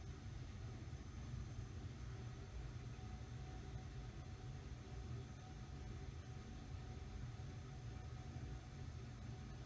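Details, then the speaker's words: Mistral Mistralaire ceiling fan coasting down with a soft whoosh of air and a faint motor hum; bearings are good, with no ticks or grinding. "still spinning down at least the bearings are good you really can't hear them at all all you hear is the the sound of the air and a little bit of hum from the motor"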